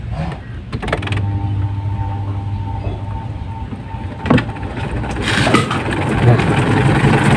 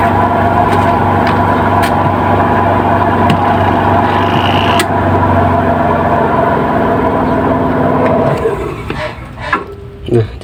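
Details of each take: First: Washing machine spin dryer after fixing a knocking spin, attributed to a loose bolt under the motor or a broken motor mount spring: steady low hum, smooth even fast spin with no knocking; repair successful, now dries properly. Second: Washing machine spin dryer tested with the load removed and the drum spinning empty: a steady, even motor hum with no knocking, then it winds down. The thumping ("gleduk") only occurs with the load.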